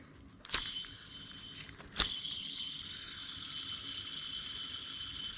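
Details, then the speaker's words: Old idler pulley removed from a Lexus LS400 during belt and tensioner replacement, spun by hand: it spins loose with no resistance and a dry, hissy high-pitched whir from a worn bearing, unlike the silent new pulley. "so that's a bad bearing on a new one you try to spin it you don't hear anything and you actually got more resistance too"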